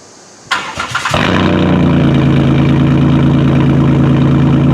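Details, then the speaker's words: 2010 Chrysler Town and Country 3.3, 194,000 miles, right after the muffler was removed for a straight pipe: a brief crank, then a steady, even, throaty idle with no ticks or misses, relatively quiet. Exhaust flow is now smooth and the earlier catalytic converter code light went off. "actually not bad. Not bad at all. It's relatively quiet, but we'll take it down the road and see what we got going down the street here."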